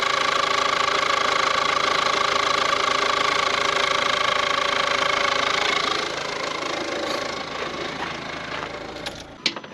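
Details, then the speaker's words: Ford Courier (Peugeot/Citroen engine) first start after timing belt and water pump replacement, top cover off: steady high whine over even idle, fading as engine stops; source unclear, owner suspects fan belt, water pump or alternator. "the fan belt hope it's not the timing belt I can't see any I can't see any marks on the timing belt so what the hell is that noise m could be the water pump"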